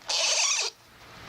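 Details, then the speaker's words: Shakespeare fishing reel found magnet fishing, cleaned, oiled and serviced, drag set very light: quick high-pitched ratcheting buzz for about half a second as line strips off; the drag clicker runs smoothly and healthily. "I love hearing that sound. Especially catch like a 4 or 5 pound fish on something like this, and it's just a screaming."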